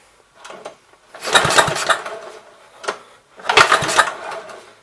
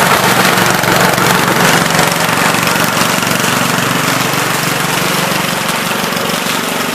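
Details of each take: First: 1970 Gravely Commercial 8 garden tractor, sat a few years: two roughly one-second bursts of cranking that never catch; no-start with weak spark, owner suspects dirty ignition points, to be cleaned. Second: 1970 Gravely Commercial 8 garden tractor, 8 hp single-cylinder, revived after sitting a few years, still cold before warm-up: steady rapid beat, even and unbroken, no misses or knocks; running pretty decent, normal running.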